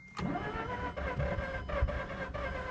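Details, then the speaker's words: Mazda RX-8 rotary flooded after being shut off before warming up, cranked on a jumper: starter grinds on with uneven pulses but rotors never catch; flooded rotary cranks and will not start. "when you flood them it's just the worst experience ever the thing needs to be cranked for a really long time"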